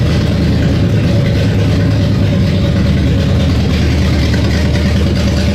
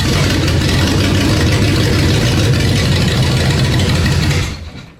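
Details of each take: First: V8, down over a year, first start after quick initial carb and timing tune: strong steady rumble, no knocks or misses; running well. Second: 1968 Corvette 427 tri-power, first start after sitting over a year, timing just backed off: loud uneven lumpy cold running, choke opening too far; rough running.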